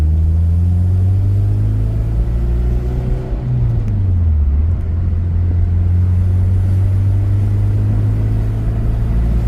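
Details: 2006 Honda Civic Si K20Z3 with newly installed Mercracing TVS-1900 supercharger, driving and making 6 psi of boost: deep, smooth engine note climbing and settling under throttle with no knocks or rattles; engine pulls cleanly and sounds healthy.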